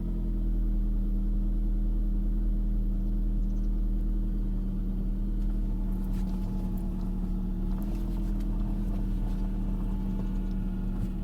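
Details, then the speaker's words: 2000 Saab 9-5 2.0t manual, running: steady low whine over engine, pitch changing with rpm; owner suspects power steering pump or another belt-driven accessory, not oil pickup, plans removing serpentine belt to check. "but um the other noise that i just found out it started making is not like my other 95 which is right behind me here but it makes a different winding noise than a pickup"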